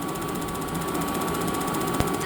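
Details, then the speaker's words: Dometic/Atwood AFMD30111 RV furnace after about 15-second pre-purge: rapid even spark igniter ticking over a steady blower hum with no gas smell and no burner ignition; a failed gas valve, replaced. "I'm hearing the ticking sound so what that means is I have ignition or the igniter is striking that arc but I'm not smelling any gas coming out"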